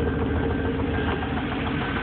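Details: Idling engine with steady low knocking and rough even idle after low oil level, seemingly from the heads; mechanic says rod knock, owner suspects rod or lifters.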